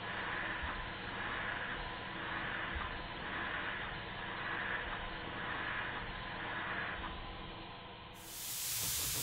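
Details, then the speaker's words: Restored Stuart beam engine with silicone O-ring piston and adjusted valve timing: even running, soft hissing beats about every 1.5 seconds, no knocks; running fairly quietly. "i think you'll hear that it's running fairly quietly one more high speed run to make sure nothing drops off it and it doesn't"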